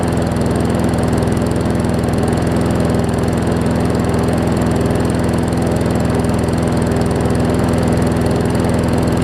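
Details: Newer Murray push mower just after new carb diaphragms: steady low-pitched even chug below normal speed; runs fine but slow, owner thinks the throttle spring (a bit too long) needs sorting.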